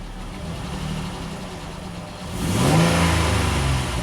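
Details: Dodge Nitro after new timing belt and tensioner, no fan installed: steady idle then a clean rev climbing and falling smoothly without misses or rattles; engine sounds healthy.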